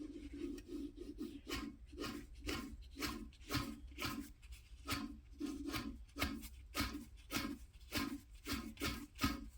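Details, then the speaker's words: Gearbox from a K-swap AWD EG coupe build, opened after a noise, shrapnel in the case: gritty, rasping growl in quick bursts as the input shaft bearing is spun by hand; a diff bearing also seemed rough. "bearing that sounds unhappy compared to this one maybe I'm just imagining things"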